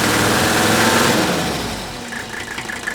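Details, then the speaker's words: Mercedes OM617 diesel (Digby), about 200,000 miles, owner suspects cylinder #3 is failing mechanically: revved just past 2,000 rpm the miss smooths right out and runs fairly even, then sags back toward idle; cause unconfirmed. "see what I mean once I brought that up then that injury would smooth right out"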